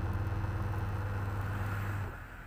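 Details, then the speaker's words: Polytron washing machine after repair of noisy pulsator that would not turn under load, pulsator refitted and bolt tightened: low steady smooth motor hum, no scraping or knocking, then winds down; normal wash cycle. "Iya sudah berputar tidak ada suara berisik lagi"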